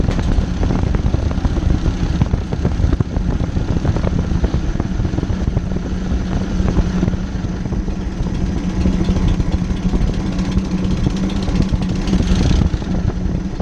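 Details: Ford 600-series (640) tractor, abandoned a decade, after installing new intake/exhaust manifold and vertical exhaust: steady, even low chug at idle with no misses, knocks or exhaust leak puffing; engine runs healthy, "absolutely lovely."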